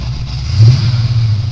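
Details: 1985 Chevy Caprice Classic wagon with swapped 350 V8, warm; deep note picks up cleanly in a short blip and settles without miss, ping, knock or rattle; runs right, slight misfire only when very cold without choke.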